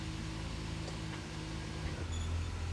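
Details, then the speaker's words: Ford 7.25 rear end reinstalled, rebuilt by Hooper's, engine not yet up to temperature: low even hum with a slight change in tone shifting into reverse then forward, no clunk from the rear end. "let's see what this rear end sounds like let's see here reverse yep okay and forward oh yeah no clunk"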